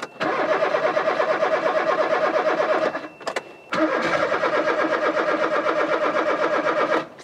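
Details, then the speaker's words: Rover 216 cabriolet after a battery charge: two long spells of fast, even cranking with a steady starter rhythm, but the engine never catches; the fuel pump is heard working. "why aren't you starting your stupid car what's broken now i can hear the pump so i know it's working"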